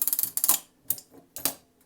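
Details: Duncan Miller model 50 parking meter timing mechanism, coin inserted: quick run of crisp ratcheting clicks, then a few spaced ticks; coin mechanism engaging and clock running normally.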